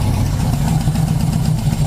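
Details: 1980 Yamaha XS1100 Special, warm idle: lumpy, uneven irregular beat as cylinder 4 intermittently drops out; owner suspects high-resistance (700-820 ohm) spark plug resistor caps/boots and plans new 3-ohm coils.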